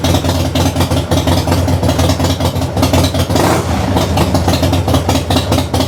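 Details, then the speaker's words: 1994 Harley-Davidson FLSTN Heritage Softail idling after loose compensator nut repair (~150 ft-lb, red Loctite, new stator and rotor): steady lumpy V-twin idle, even beat, no knocking or rattling from primary side. "now I'm gonna fire it up and see how it goes see if I can still hear that noise and I don't hear the noise I'll say it's a big success"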